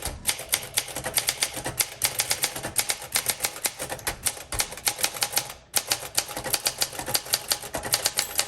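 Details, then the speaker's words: 1962 Olympia SM5 manual typewriter, rough-looking but mechanically sound, typing a test sentence: crisp, even key strikes about four or five a second, no drag or skipped letters, margin bell sounding well; healthy typing. "The bell sounds really good."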